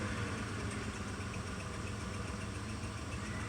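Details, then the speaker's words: Mitsubishi Montero, warm (not a cold start), now holds a steady smooth idle on its own without pedaling; when bought it wouldn't idle and shook as if misfiring. Small exhaust leak noted, emissions check-engine code present. Normal idle. "the truck is sitting and it's running and it's idling on its own no to pedaling"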